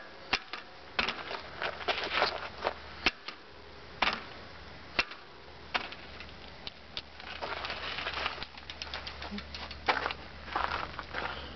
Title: Pike Clunking noise